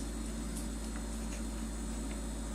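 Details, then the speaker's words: Two-year-old LG LFXS24663S refrigerator, compressor running: steady low hum with a loud, constant buzz (about 72 dB at 10 ft) from the plastic condenser drip pan and fan shroud resonating; it comes and goes as the body flexes. "so by flexing the refridgerator body I was able to get the sound to come in and go away but this is the source"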